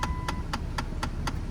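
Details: 2008 Dodge Avenger, engine running; sharp regular clicks about four per second over a low engine rumble from behind the glove box, HVAC blend door actuator clicking, fixed by replacing the actuator.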